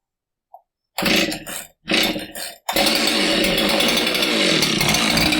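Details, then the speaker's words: Husqvarna 372XP chainsaw fires in two bursts, then runs steadily with a distinctive rough metallic rattle the customer had not heard before; it also smoked a little; a foreign object is rattling inside the two-stroke cylinder. "It was here because it was making a distinctive noise. And obviously this noise isn't something the customer had heard before because he heard it and brought it in."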